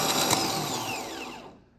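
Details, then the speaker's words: Starter removed from a 2008 Ford Ranger 4.0 with a replacement engine, no-start after sitting months, bench tested: brief rough, gravelly, growly whir that winds down within about a second instead of spinning freely; worn starter, replaced. "And it stops pretty quick. It doesn't sound great."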